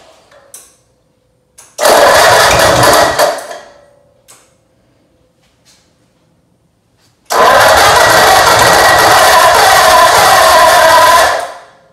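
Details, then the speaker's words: Ford 8BA flathead V8 (1949-53) from Marketplace, points cleaned and spark confirmed: two cranking bursts of a few seconds, no catch; no fuel reaching the fuel pump, owner suspects a pump valve issue. "I'm concerned that I'm not seeing any fuel at the fuel pump there yet."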